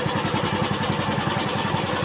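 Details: Old carbureted Honda Beat scooter, after fixing the electric starter that would not work: quick, even single-cylinder putter at about ten beats a second, no misses or knocks. Healthy idle.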